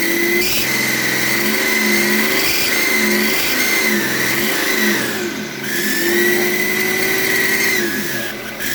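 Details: BMW E38 M57 3.0 diesel with a rebuilt turbocharger that whines like the old one; a high thin whistle over the engine swells as revs rise and fall. Unplugging the variable-geometry control valve connector stops the whine; reconnecting brings it back.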